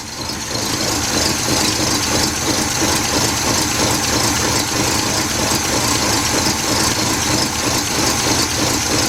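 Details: 1977 Buick LeSabre 350 V8 after engine removal and a gasket overhaul, first start, choke not working, no antifreeze yet, before warm-up: steady, slightly uneven idle with no knocks or ticks standing out; sounds healthy.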